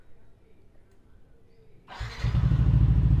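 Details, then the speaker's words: Yamaha NMAX that wouldn't start and reset its speedometer when cranking, after replacing the weak battery: brief starter whirr, engine catches at once and settles into even regular idle; clean healthy start. "Oke berhasil motornya menyala ya berhasil nyala ya starter bisa tanpa speedometer ng-restart"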